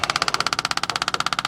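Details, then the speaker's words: Electric fuel pump priming from a boat tank, wired by jamming the wires between the terminals, on a carbureted engine. Fast, loud, even clicking about fourteen per second: the pump running dry before fuel reaches it. "Shouldn't be that loud when the fuel's going through it."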